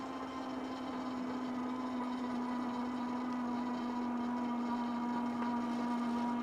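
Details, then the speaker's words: KBO Breeze e-bike hub motor, throttle only at full throttle on a long steep climb around 12 mph, motor likely warm: steady mid hum with higher whine above, holding even; hub motor whining under heavy load. "But you can hear that motor whining. It is making a whiny noise."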